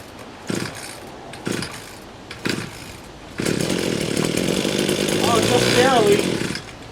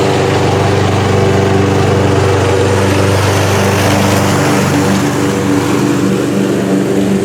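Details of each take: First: Badger weed trimmer, primer bulb nearly empty, deliberately being run dry: three quick rope-pull rasps then a short ragged sputter that fades; no start, out of fuel, needs gas. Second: Homemade lawnmower, single-cylinder, first pulls after being tight to turn, late-October day about 65°F: steady, even low rough chug while burning off oil smoke, occasional loud pop; sounds healthy, running with oil smoke.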